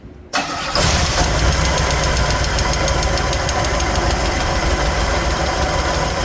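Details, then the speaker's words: 1969 Chevelle small-block Chevy V8, valve lash adjusted with engine running: catches and idles with a light fast tick about four per second, a rocker with too much lash tapping. "Well, usually what you do is when the tapping goes away, then you give it the extra half."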